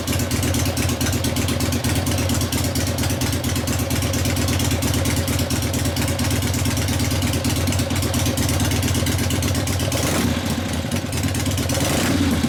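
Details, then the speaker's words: 1970 Harley XLCH Ironhead Sportster rigid kickstart bobber, after a test drive. A lumpy but even V-twin beat around idle that picks up cleanly on the throttle; a healthy engine. "sounds nice huh that concludes our test drive that sounds nice"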